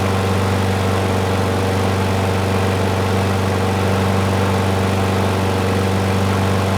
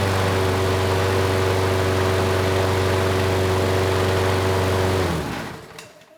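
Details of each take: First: Curbside Craftsman mower 917.374541, engine 128T02-1270-B1: small single-cylinder running steadily but lumpy and uneven. The auto choke is hanging up, suspected of not opening after start. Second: Craftsman mower 917.374541, engine 128T02-1270-B1, with the sticking auto choke manually opened: steady, even drone, then winds down and stops. Runs well now, with only a slight occasional stutter.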